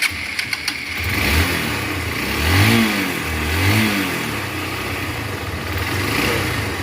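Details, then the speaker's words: Hero Impulse 150 motorcycle after full engine rebuild with new gear pinion, clutch plates and block kit: clean start, then easy throttle blips rising and settling without knocks or rattles; engine sounds smooth and healthy. "শুনতে পাচ্ছেন গাড়ির sound একদম smooth হয়ে গেছে।"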